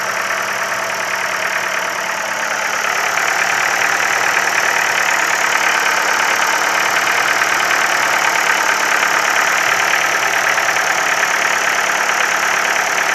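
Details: Ford Focus 3, 1.6 L 125 hp engine at steady idle with a light, fairly fast ticking knock of about three per second riding over the engine; knock, source not pinned down.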